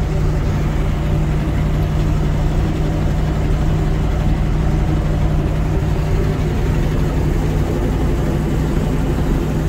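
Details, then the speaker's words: 1980 Ford LN700, 370 big-block four-barrel V8, just started after sitting a few years: a deep, even rumble with a steady beat, firing cleanly on all eight cylinders; it has a known bad exhaust leak. "sounds like it's hitting on all eight it's got a bad exhaust leak which I saw when I looked at it last week"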